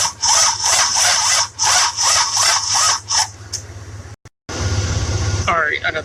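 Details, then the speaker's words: 1966 Buick Riviera GS, 425 Nailhead V8, HEI distributor, crank-no-start: sluggish cranking, about three labored compression pulses a second, never catching; spark present but inconsistent, cranking likely too slow. "the spark is there it's really inconsistent i want to say part of the problem that it's not turning fast enough but we'll see"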